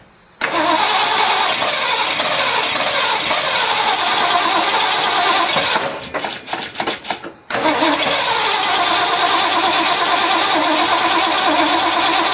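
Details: Ford F-100 first start in 5 years after new spark plugs and rebuilt carburetor with doubled EGR-plate gasket: catches, dies to cranking bursts, refires and settles; runs pretty good, needs adjustment, slight exhaust issue.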